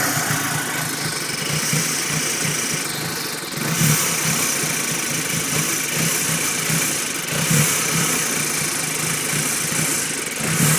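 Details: 2006 Audi B7 A4 2.0T petrol idling uneven and loping with a steady airy hiss, a huge vacuum leak from a faulty intake manifold gasket.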